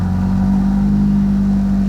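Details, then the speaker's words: 2000 Mitsubishi Galant 2.4L with an aftermarket exhaust, warming up after a cold start: smooth, steady idle at about 1,500 rpm. The earlier rpm hunting is gone after a cheap fix of a cracked intake manifold. "sounds good the idle's not jumping around not like it was like I said it was jumping from 2 to 1 before and now it's at 1 and a half kind of warming up a little bit"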